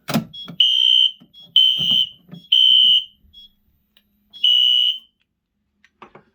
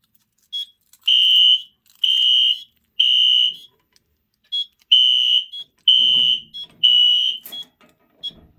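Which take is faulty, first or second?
first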